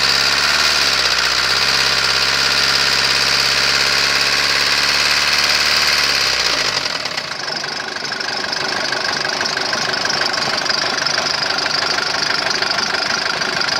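Diesel runs with a hard metallic tapping riding over the clatter, then settles lower; a knock whose source isn't yet known.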